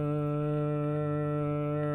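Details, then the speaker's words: Orange RockerVerb 50 tube guitar amp needing most tubes replaced: steady hum with a low throbbing pulse like a motorboat, growing louder; power tubes being tapped, cause not confirmed. Motorboating. "It sounds like a motorboat going down the river."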